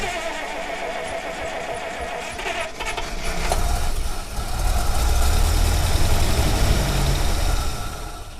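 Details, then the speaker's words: 1948 Buick Roadmaster Model 79 woodie wagon, 320 cu in Dynaflash inline eight, long-dormant: catches and runs rough, surging on fuel dribbled into the carburetor; fuel not reaching it from tank, starving. "now when it does that just keep feeding gas into it okay just dribble a little in each time not a lot that's too much just enough to keep it running"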